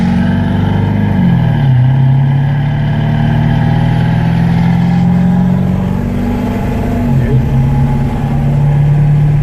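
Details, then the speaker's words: 1997 Ford F-250 Super Duty 7.3L turbo diesel, road drive after an AMSOIL engine flush and oil change: the drone climbs and drops smoothly through shifts with no knock or rattle, and the driver says it feels smoother than normal. Normal running under acceleration. "Feels good. Feels real good. Wow. Felt a lot smoother than normal."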